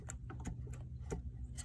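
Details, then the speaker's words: 2001 BMW E39 M5 fan clutch, engine off, fan rocked by hand: sharp irregular clicks and knocks, several per second, with excessive wiggle and metal shards behind the nut; worn fan clutch bearing. "also you see right behind the nut there's a like a metal line like a washer or something it's really just metal shards coming off of it and if i were to try to move it you can hear it move see how much wiggle there is"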